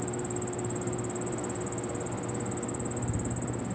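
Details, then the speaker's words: Carrier split-type AC indoor unit: a shrill cricket-like chirp pulsing about three times a second over the fan; technician suspects worn blower motor bushings. "তো এটা আমার মনে হইতেছে যে ব্লোয়ারের যে Bush, ওই বুশগুলা হয়তো বা খারাপ হয়ে গেছে।"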